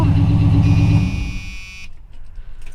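A V8 runs with a deep, pulsing knock underneath, then quickly dies away, pointing to a worn rod bearing. Cause suspected, not confirmed.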